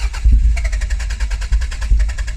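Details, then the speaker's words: Mk2 Toyota MR2 sat 14 years, recommissioned with fuel added and spark plugs refitted: engine catches after a few uneven firings and settles into a rough but continuous run; it starts and stays running. "that's running yeah that's running"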